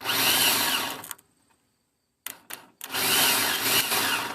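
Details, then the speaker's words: Starter from a bus that sat for years, tested on the tailgate with a jumper wire: high, even whir as the Bendix spins freely, then a few clicks and a second strong spin; it works after being struck. "And uh turns out hit the little guy. Boom. Bendix. That's that noise you were hearing."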